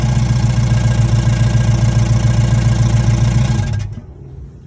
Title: 5.7 HEMI CHARGER Is this lifter failure, pulley, exhaust leak or flex plate? What do you think?